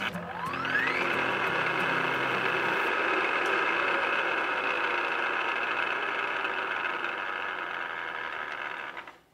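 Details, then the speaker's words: Milling machine head spins up, then settles into a loud, raspy gear whine blamed on the back gears rather than column bearings; adjusting the back gears quiets it. "What if I tell you that it may not be the bearings going out in the column? Be pretty cool, isn't it?"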